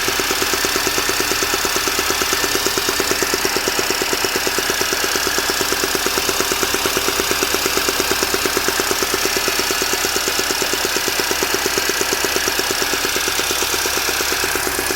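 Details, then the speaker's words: Mini Cooper S R53: popping, ticking noise from top of engine, cold or fully warm, not metallic; owner suspects early cam chain tensioner problem, not confirmed. "it doesn't sound really metally or like AIC just sounds it's popping noise coming for me thanks"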